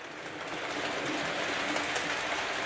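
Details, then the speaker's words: Model Coronation Scot carriages pulled at running speed after filing the brake shoes that were rubbing the bogie wheels: an even, soft rolling hiss with faint clicks and no squeak, fix confirmed. "pulling the coronation scott with no squeaking"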